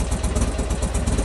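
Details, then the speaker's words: Buell XB12 V-twin after cleaning and regapping spark plugs: loose, even thump at steady idle with no misses; running a bit better, though plug gaps possibly slightly too big. "Okay, let's see if it starts now, shall we? Hope it bloody does. I'll be upset if it doesn't. And voila, done. Happy days. Seems to be running a little bit better as well."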